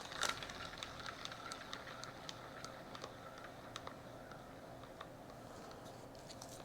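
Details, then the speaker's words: 550 SSG spinning reel: light sharp clicks two or three times a second as the spool oscillates, likely from the post inside the channel on the back of the oscillation block, not confirmed; oscillation click. "I'm going show you that one more time in slow motion that's likely coming from the post inside that channel on the back of the block"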